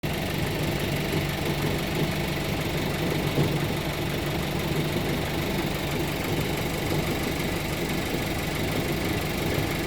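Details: Audi A4 B9 petrol, right-hand drive, at idle, especially on cold start: a low-frequency buzzy rattle under the engine note, seemingly toward the passenger side, cause unknown.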